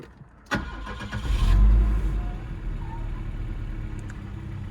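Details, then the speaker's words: Volvo 760GLE/740GLE wagon with about 387k miles, cold day: short crank, catches at once and flares, then settles to even steady idle; clean healthy start. "Boom, she's alive."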